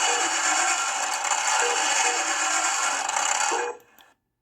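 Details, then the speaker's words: Another owner's working Demolition Man pinball elevator mechanism, shown as the reference for how it should run. Loud but smooth, fast whirring with regular clicks and a clean stop, with no binding. "loud AF but see how nice and smooth and fast that was flowing that's what I need to uh figure out how to get mine to do"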